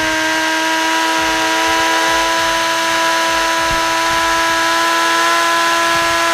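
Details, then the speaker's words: Team Associated Apex RC car in a bearing benchmark: a loud, steady high whine over a rough hum. The car is balanced but loud and dragging, and the front and rear diffs are slightly warm. Driveline drag and noise. "okay the car seats pretty balanced it's just loud and dragging"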